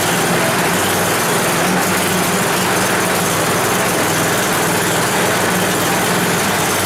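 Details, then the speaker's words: 10 HP Tecumseh Yard Machines snowblower, long unused, warming up: single-cylinder chugging at idle with uneven lumpy beat; rough running, runs better on half choke, dirt in carburetor suspected. "it will run better on half choke which kind of means to me that there's a problem inside with some dirt or something in the carburetor"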